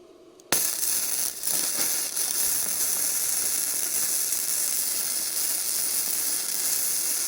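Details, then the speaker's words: Bestarc entry-level gasless flux-core MIG welder, turned down from 135 amps, on fairly thick metal: steady harsh frying crackle with sharp pops; it is still set a little too hot, though the weld looks good. "Well, so you can see that that's still a little bit hot."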